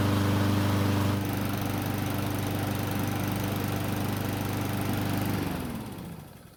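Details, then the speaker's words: Honda mower after fixing oil leaks: valve cover resealed, bolts torqued next day in over 90°F heat, valves checked and adjusted. Steady, even drone with no misses or knocks, then winds down smoothly at shutdown. Runs great. "Luckily, it started up with no issues at all and it ran great as well."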